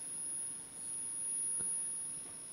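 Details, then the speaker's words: Charger circuit in a Re-EMF magnet-tuning setup: faint steady high-pitched squeal over quiet hiss, a singing coil; owner trying to remove or change the squeal. "Na, am Anfang wollte ich nur das Quietschen wegkriegen. Ich habe gedacht, na gut, das muss halt mit 200 mA das Ding vollrödeln, dauert halt ein bisschen länger. Aber es geht jedenfalls. Aber das Quietschen nervt ja."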